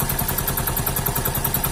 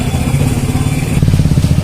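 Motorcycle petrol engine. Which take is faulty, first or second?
first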